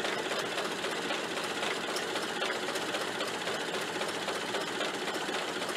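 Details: Ford Model A generator after front bearing and brush replacement, back on the car charging a steady 15 amps; running engine gives fast, even mechanical clatter with no squeal over it. Earlier squealing is gone, generator healthy and quiet.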